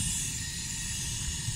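A steady, even rushing hiss with no pops or flutter: the burner is lit and burning cleanly.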